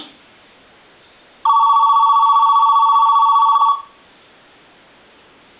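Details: AT&T 210 Mickey Mouse telephone during initial checkout on a ring test: a ring burst of a bit over two seconds, a bright warbling bell tone with quiet gaps either side; the ringer works properly.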